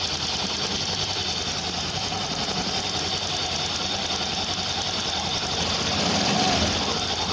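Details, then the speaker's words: Honda motorcycle at low idle after overheating from non-Honda coolant, rebuilt with new piston, piston rings and block: even quick-ticking idle, no heavy knocking; the previous noise is gone. "Ayan, kahit naka minor lang siya ngayon, wala na yung ingay niya."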